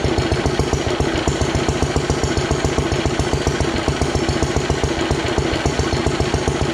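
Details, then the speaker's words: Ronaldson & Tippett engine, owned 20+ years, first run after cleanup, running without water or hopper, only lukewarm after running about half an hour earlier: steady even chuffing about 2.5 beats a second with firm low thump; normal healthy running. "So it's just lukewarm. Anyway, she's a goer, finally, after all these years."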